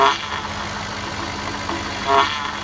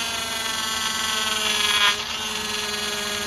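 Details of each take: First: 2007 Cadillac DTS with newly replaced power steering pump after bleeding, wheel being turned at idle: smooth idle with faint pump whir, no groan or squeal; sounds as it should, though air bubbles remain in the fluid. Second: 2007 Cadillac DTS, newly replaced power steering pump while bleeding: steady high buzzy whine over idle from air in the system, easing slightly as it runs.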